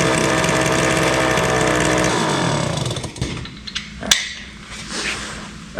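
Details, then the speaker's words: 1974 Indian ME100 small two-stroke barn-find motorcycle: fast, steady buzzing idle for a couple of seconds before dying away; idling too high. "hey it runs so um it's idling a little high I'm going to work on that"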